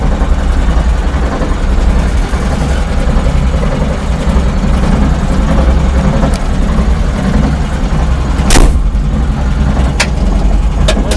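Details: Driveline knock between engine and gearbox at idle on a modified vehicle: CV joint replaced with a cross joint, crosspieces show no play; knock stops when revs rise, returns at idle; owner unsure, suspects play in gearbox.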